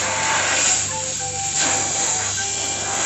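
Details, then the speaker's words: Refrigerator R134a purge without vacuum pump, compressor running: steady even hiss of refrigerant rushing out of the opened line with no sputter, meaning the air has been flushed out and the system is clean. "kalau sudah tipe seperti ini berarti ini bersih udaranya didorong dengan freon ini tadi"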